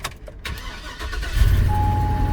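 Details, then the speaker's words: 2007 Hummer H2 6.0 V8 with 144,000 miles, cold start cranking into a rough idle with a faint light ticking under the rumble; small exhaust leak, said to often go away once warm. "got a little exhaust leak i heard that but not bad these six liters do that as they get a little older get a little exhaust leak usually when it warms up they go away"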